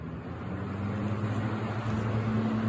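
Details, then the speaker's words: 20-inch 3-speed box fan with Hunter motor, running on high: steady even roar of moving air with low constant hum; moves lots of air, healthy motor. "course it roars. Moves a crap ton of air."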